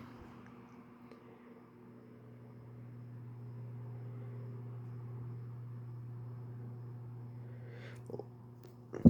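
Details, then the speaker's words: Restored 1973 Sears atomic green desk fan on low, motor cleaned and lubricated, oscillation rattle fixed with washer: quiet steady low hum, no rattle, tick or scrape; normal running. "Okay, we'll go ahead and turn it on to high. Listen to how smooth that is. It moves a ton of air, too."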